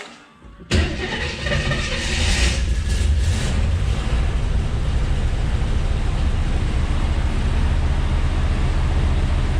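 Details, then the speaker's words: 1967 AMC Rambler Rebel SST with 290 V8, two-barrel carb and automatic, revived after sitting since 1981: starts on first crank and settles into a deep, even, quiet rumble, fan louder than engine, no ticking or exhaust leak; healthy. "pretty quiet can't hardly hear it yeah you hear the fan better"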